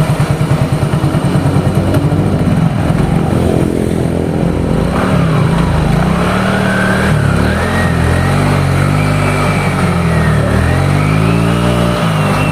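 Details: Yamaha Mio GT scooter, which had heavy pull and a very rough engine noise, after repair and an ISC/throttle sensor reset: it revs cleanly with a smooth rising note, no rattle or grinding; now running normally.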